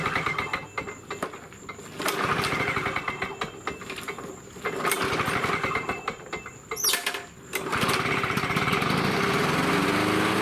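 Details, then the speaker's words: Vintage Lawn Boy Gold Series 4.5hp two-stroke mower, curbside find, cleaned and repainted, fresh gas: pulls to a steady, crisp buzz with even firing after a few stops and restarts; running fine. "it's running pretty good I'll show what it runs like now we'll get some gas in this thing and fire up this first of the two machines"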